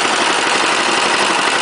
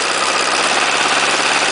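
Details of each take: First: 418cc Chinese direct-injected single-cylinder diesel temporarily mounted on a snow thrower, first runs, started with the decompressor: fast, even diesel clatter at a steady idle with no misses; it starts well, likely helped by warmer air. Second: Chinese 418cc diesel, first run, temporarily mounted on a snow thrower at 30°F: busy, uneven clatter on acceleration from low rpm; owner unsure of cause, considers checking valve clearance or break-in.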